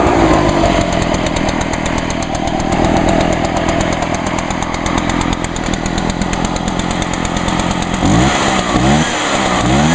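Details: Echo two-stroke blower, used all winter, one-pull start; buzzes at a fast even speed, then throttle blips up and down cleanly near the end; runs healthy.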